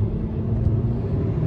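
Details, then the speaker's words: Car driving down the road after clearing out a misfire, heard with windows up: steady, even low engine hum with no stumbles or misses; now running smooth despite low compression. "put the windows up so you guys can hear it how smooth it is running good"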